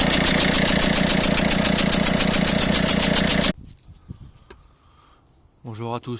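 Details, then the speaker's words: Peugeot/Citroën DV6 1.6 HDi diesel at idle: sharp rapid regular ticking chuff about 3.5 per second; injector seal leaking compression/exhaust gas between injector well and head, polluting oil, recurrent cause of turbo failure. "les moteurs des v6 donc indique 6 hdi cette soupape problème récurrent qui engendre des casses turbo donc les gaz d'échappement arrivent à pénétrer à travers le joint tous ici là entre le puits de l'injecteur et la culasse et ça vient polluer l'huile"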